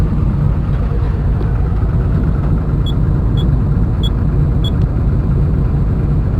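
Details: Komatsu diesel engine with low power, high vibration and white smoke: heavy rumble with a rough, uneven beat; engine knocking, cause unknown.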